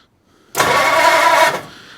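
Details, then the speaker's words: 1940 Ford Deluxe Coupe flathead barn find, starter jumped at the solenoid with the trigger switch, distributor not yet hooked up: starter spins the engine briskly and evenly with no binding or grinding, engine turns freely; normal cranking. "that sounds like positive crankage to me"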